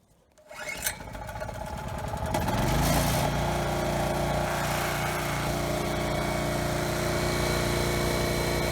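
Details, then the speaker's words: Generac portable generator after a broken blower housing was replaced to stop the recoil hitting the cup, started with no load: it catches quickly, then drones steadily with no surging or knocking. The recoil noise is gone; throttle set to about 60 Hz. "okay so it started pretty well runs well no surging or anything"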